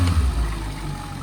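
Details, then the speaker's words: Boat engine running with the cowling off after a cable adjustment: a short rev blip falls slowly and smoothly back to a steady idle; owner may fine-tune it. Normal idle and rev. "Yeah. And it slowly comes back down. I could probably do a couple adjustments in there as well, just fine tune it as well."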